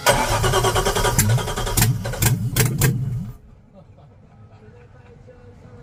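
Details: Boat engine dry-fired on open manifolds with no exhaust pipes or catalytic converters: harsh, very loud rough running with sharp crackling bursts, then shutoff. Described as sounding terrible.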